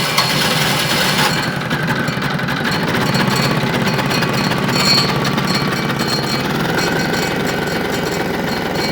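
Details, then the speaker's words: Winget mixer single-cylinder diesel, stood a couple of years, after repair and second start: rapid, even chugging that holds steady without stumbles or misses, quite quiet; normal running. "Tell you what, on a single cylinder like that, this is actually really quiet."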